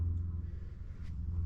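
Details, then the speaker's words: Honda S2000 project car, just started and not yet warmed up; the owner wonders if it is cammed. Smooth, deep, even idle rumble with a slight lopey pulse and no knocks or ticks. The engine idles healthily. "engine sounds pretty good i don't know if it's cammed or not but it sure as heck sounds like it"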